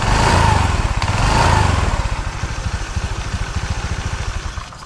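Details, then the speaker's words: Automatic scooter running with CVT cover bolts mostly removed: throttle blip, then loose clattering rattle on each idle pulse; center shaft wobbles off-center when revved, pointing to a worn CVT cover bearing. "untuk as yang paling tengah ini ya pas begitu di gas yang paling terkenal ini agak bergoyang ya bergoyang ke agak apa koplak"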